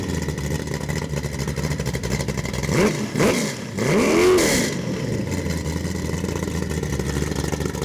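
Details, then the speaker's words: Ford 347 stroker small-block, 450 hp, Holley Sniper EFI and Holley distributor, for a 1967 Mustang, on a test stand with just mufflers: even burbling idle and two clean blips with no knock or misfire. Healthy V8 revving. "Hey, that's what a badass engine sounds like when you got just mufflers on them."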